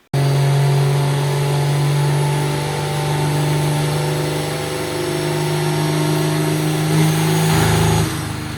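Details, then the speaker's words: Drag truck diesel at wide open throttle on the dyno, about 10 psi boost, engine improperly assembled by the machine shop: harsh uneven smacking beat before backing off; dropped a cylinder. "I heard it drop a cylinder, so I let off. I didn't quite shut it off right away. I just kind of was listening. I could tell it was down a cylinder, so I sh"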